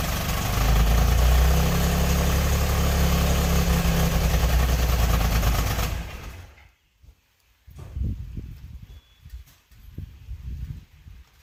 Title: 1992 Subaru SVX misfire